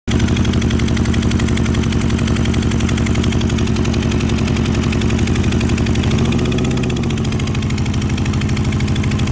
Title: Testing Motocycle Ignition Coil For Cylinder Misfiring